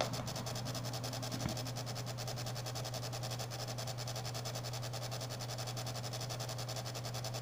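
Steady low hum with a rapid, even clicking buzz running throughout and one brief knock early on; an abnormal mechanical noise, source uncertain. Cause suspected, not confirmed.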